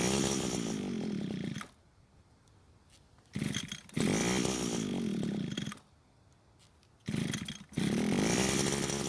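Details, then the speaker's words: Older grey Echo trimmer left unused a long time. It fires and buzzes a few seconds, then cuts out, and only keeps running fully choked because it cannot get enough fuel unchoked. Lean running. "so it seems the engine only wants to stay running while the carb is fully choked which means it's not able to send enough fuel to the engine when not choked"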